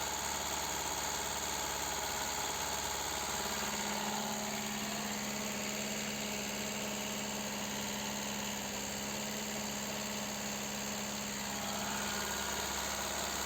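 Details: Car engine idling while stationary, diagnosed for ignition misfire in one cylinder, with live scanner readings showing air intake about 255–300. Uneven, stumbling idle with a loping beat about three or four times a second; the cause is not yet found.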